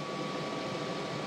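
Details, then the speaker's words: Montek X1200 prototype power station (1200 Wh LiFePO4, 2000 W inverter) solar charging near 1200 W max at about 110–120 V input: loud steady fan rush with a thin whine at one pitch; cooling fan really screaming. "and the fan is really kicking on in this unit now it's really screaming"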